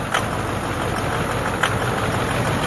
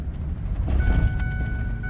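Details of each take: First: 2009 Ford F250 6.4 Powerstroke diesel, cold idle: a loping, stumbling idle with sharp uneven knocks and fuel-reeking smoke, skipping every second or two. A misfiring injector is suspected at #7, which was then replaced; #3 was also acting up. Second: 2009 Ford F250 6.4 Powerstroke diesel after #7 injector replacement: steady deep even rumble while driving, no misfire or stumble; running smooth, whereas before #7 seemed not to fire at startup.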